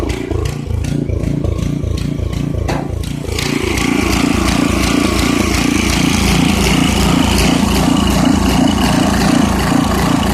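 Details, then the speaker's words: 1989 Briggs & Stratton 5 hp engine with 6:1 gear reduction, sat unused for years, running without an air filter: single cylinder chugs in slow even low thumps, idling slower than it should; rpm needs raising, cause not confirmed. "so okay so um it sounds like it's a little bit it's running a little bit slower than uh it should be so i'm gonna have to speed up the rpm just a bit"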